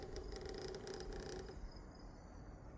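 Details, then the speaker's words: PS5 cooling fan with the cover off: a buzzy vibrating rattle over a steady fan hum, as if something at the fan is loose. Source unidentified, right on the fan. "Got this sound coming from my PS5 up by the fan. It's like something is loose. It's vibrating."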